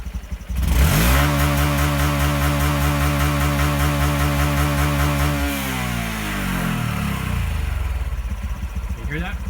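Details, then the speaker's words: Honda Trail125 in neutral, no load, revved against the limiter: engine held high with a fast stuttering bounce about four times a second, then revs fall; normal rev limiter cut just under 8,500 rpm. "see that it was 84 it was just under 8 500. that's just sitting here with no load on the engine"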